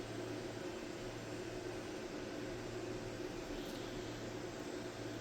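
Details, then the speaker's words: Wormhole rotary tattoo pen, new from the box, running at 7 volts: a steady low hum with a buzzy midrange that stays level, much noisier than another pen that is nearly silent at 7 volts; excessive running noise. "7 volts. Still sounds pretty noisy."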